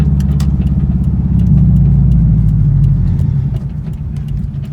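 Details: Subaru Forester with Cobb 3-port boost control solenoid and revised tune, cold start idle: steady low idle with sharp scattered metallic ticks from the loose intake tapping against the body; intake rattle, later fixed.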